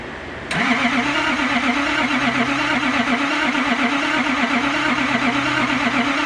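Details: Nissan Patrol RD28 diesel after cylinder head work, on a very cold day after priming and glowing: the starter cranks evenly at about a beat and a half per second for six seconds, never firing. It is the same no-start as before; cause unconfirmed.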